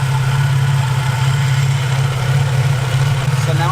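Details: Infiniti G35 VQ35DE at idle, listened to through a breaker bar socket placed on the idler pulley: steady low drone with a rough undertone from a failed idler pulley/tensioner bearing, which caused a whining, whistling high-pitched noise following RPM.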